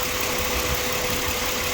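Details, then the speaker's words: 2007 Ford Explorer XLT idling after a thermostat housing coolant leak repair and WD-40 on the noisy belt tensioner bearing. Even idle hum with no chirp or squeal from the belt area. The engine is quiet again. "quiet engine again no noise thank you"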